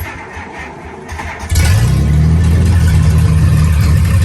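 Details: 1948 Plymouth P15 Special Deluxe, engine already warm so no choke, gas pedal pumped four times, clutch in: short cranking, then it catches cleanly at once and settles into a strong, even run with no stumble: normal warm start.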